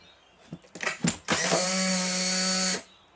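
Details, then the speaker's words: Crusty Polaroid SX-70 Model 2 camera, first test with empty film pack before overhaul: clicks then motor whirs about 1.5 seconds with steady buzz, sluggish cycle from dry pick arm needing lubrication. "and yeah the pick arm needs lubricating I can't hear that returning back to normal but that's no surprise"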